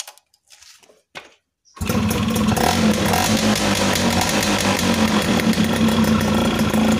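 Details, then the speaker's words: Yamaha F1ZR two-stroke after repairing an intermittent break in the pulser's negative wire (white-blue stripe) that caused sudden stalling: catches and settles into a steady, crackling idle with no cutting out; normal idle. "Oke, sudah menyala. Saya matikan. Nah, sudah berfungsi kembali."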